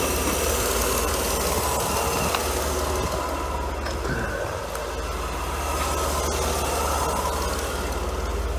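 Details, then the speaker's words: Idling W124 Mercedes 300E six-cylinder with a steady rhythmic puffing tick from an exhaust leak at the EGR valve gasket, which was moving; the gasket leak was later found to be one loose bolt. "I can hear that exhaust leak at the EGR drives me crazy have one of those gaskets moving around"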